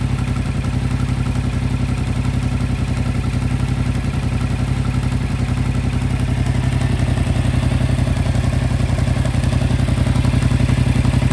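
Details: 2025 Yamaha MT-07 with 9,500 km at steady idle, with a regular light clatter about four times a second over the engine beat; source not identified.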